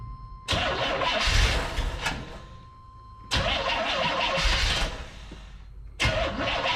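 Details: Carbureted Corvette on jump pack, fuel pressure about 5-6 psi at carburetor; three bursts of steady cranking a few seconds each, never catching; crank no start, owner suspects carburetor fueling issue, considering having carburetor looked at or a new carburetor.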